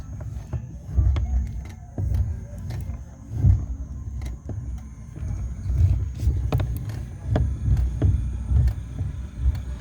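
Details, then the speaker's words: Chevrolet Celta steering rack making sharp, irregular clicks and snaps over the engine rumble when the steering wheel is turned; mechanic says the rack (cremalheira) is at fault. "fala Toinho meu parceiro ó tô escutando uns estralo bicho nessa caixa de direção me dá uma luz aí o que é que tá acontecendo"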